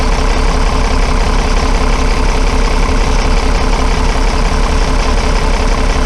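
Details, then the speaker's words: Diesel bus engine at idle after fuel system work, loud with a steady, slightly uneven low thump; engine note didn't change when cylinder one injector was cracked, so cylinder one is firing weakly, possibly blocked or drawing air: misfire / weak cylinder. "I only did that injected twice then and you didn't hear the engine zone change so that indicates that cylinder one on this engine isn't doing very much"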